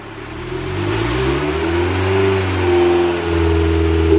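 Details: 2002 Dodge Neon with 300,000 miles on a dyno at full throttle to about 6,800 rpm: engine climbs smoothly, pitch rising steadily, tone changing partway as the active intake runner opens; healthy pull.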